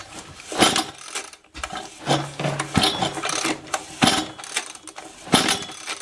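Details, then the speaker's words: Husqvarna 125 BT power blower: repeated rough, rasping pull-cord strokes with no catch or firing; seems badly flooded after a couple pulls, spark being checked; cranks but will not start, cause not confirmed. "what do you think is going on with that it sounded pretty bad didn't it and see any spark just a couple pulls in this thing is like super flooded already"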